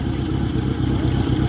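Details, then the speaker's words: 1986 Honda GL1200 Goldwing flat-four, cold after sitting an hour at about 60°F, idling evenly with light rapid ticking from the fuel pump; normal clicking, its absence would indicate a problem. "And yes, the clicky-clacky fuel pump is still clicky-clacky. When you don't hear that, that's the problem."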